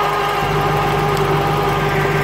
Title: Corvette c4 1996 lt4 zf gearbox noise problem